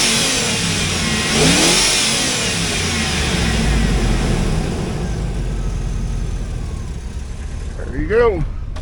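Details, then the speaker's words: 2004 Hummer H2, LQ4 6.0L V8, 4L60E, donor vehicle test before part-out: engine stumbles a little at low revs, then smooths out when blipped higher; slight misfire at low rpm. "It's got a little miss to it."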